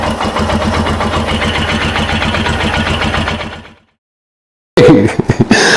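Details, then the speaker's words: Royal Enfield Himalayan single-cylinder at idle, after retightening the exhaust following a crash bar and skid plate install, checked for an exhaust leak: a steady, even thump with no ticking or puffing. A normal, healthy idle. "So I do want to start it up and make sure I don't have an exhaust leak."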